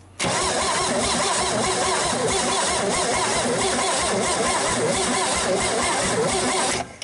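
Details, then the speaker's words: 1961 GMC 305 V6, first start attempt in years, battery low and on a charger: engine turns over for six seconds with an even, unbroken chug, suggesting good compression. "it's gonna be fine sure somebody's got good compression"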